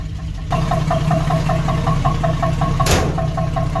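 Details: 1976 AMC Gremlin, revived after 36 years in storage, started after front disc brake work to pull out of garage; sharp metallic knock two to three times a second over steady idle, louder than normal; engine knock, cause unknown.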